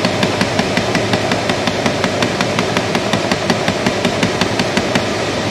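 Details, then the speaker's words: 2010 Chrysler Town and Country: rapid, steady clicking about three per second over the blower hum, from the faulty blend door actuator behind the glove box, its door seen hopping. "a little red tab on it that's a blend door and that's the one that's got a problem"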